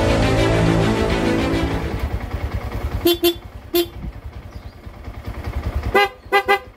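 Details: Yamaha Sniper 150 dual contact horn after repair of faulty halo switches and rewiring of brittle wires: six short, clear toots over a low idling engine; horn now works normally.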